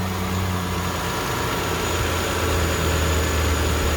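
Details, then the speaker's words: 2003 Toyota Camry V6 after alternator belt replacement, idling with the AC compressor engaged: low, smooth, even idle with no chirp or squeal, confirming correct belt tension; normal idle. "Now let's engage the AC compressor and see if it squeals or not, so I know if I have the tension right. Very nice. Nice and smooth. Beautiful."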